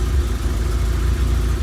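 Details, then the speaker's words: 1991 Vauxhall Nova GSi, laid up since 2005, idling after a cold start and starting to chug with an uneven beat and faint dips. There is slight smoke and the fuel pump whines; the owner suspects it is running low on fuel. "so can hear it's starting to chug a little bit [Music] yeah definitely getting low on fuel you could hear the fuel pump uh starting to whine a little bit"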